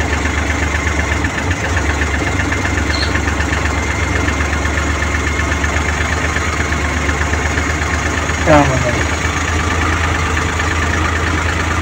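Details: Suzuki Multicab F6A three-cylinder after distributor cleaning and carburetor overhaul for a no-start: settles into a steady, even idle with no misses or stumbling and one brief blip; running healthy.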